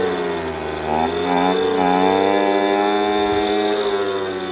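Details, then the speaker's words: Echo PB230LN older handheld two-stroke blower that wouldn't rev up, running with a rock-hard purge bulb after new fuel line and filter; picks up and revs smoothly to a steady buzz without bogging; seems to run all right, bulb full. "Yeah, it's all right. Seems good. The bulb is full, but it just see. It's going. It's working."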